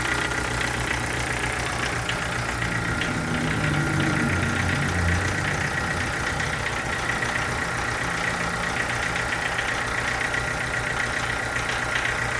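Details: Chevrolet Corsa sedan engine at steady idle with a busy, rattly ticking at engine speed; source undetermined, owner asks what it could be.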